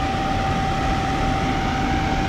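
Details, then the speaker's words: Blower wheel wobble on a roughly 30-year-old 1990s Rheem 90-plus gas furnace: steady blower rush with a low uneven throb as the assembly vibrates; motor brackets previously loosened, new motor, wheel and brackets recommended. "but you can see this whole thing's kind of wobbling here they got good ears a lot of people wouldn't notice that uh but definitely is vibrating"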